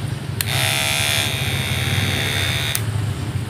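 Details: Cordless hair clipper runs with a harsh, loud, rattly buzz from a loose blade assembly that chatters; fixed by adding rubber padding so the blade is pushed firmly, after which it runs quiet.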